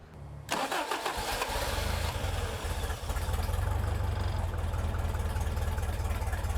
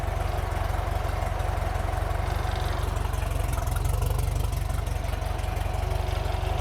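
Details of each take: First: Toyota 22RE in a buggy with an all-new fuel system, throttle cable unhooked, after repairing the injector resistor wire: steady, fast cranking that never catches. It turned out the replacement fuel pump lacked the right output pressure, so it wouldn't start. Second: Toyota 22RE petrol four-cylinder in a buggy, starting on the old fuel pump refitted after the new same-part-number pump gave too little pressure: even, steady low idle pulse around four beats a second, no misses or knocks; normal idle.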